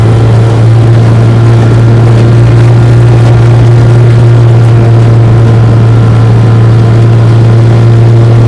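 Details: 1958 Johnson 3 HP JW14 two-stroke outboard, fully restored with a rebuilt magneto and lower unit, warm start, pushing a boat about 5 mph: a loud, steady, even drone at one pitch with no misses or knocks, running smoothly and healthy.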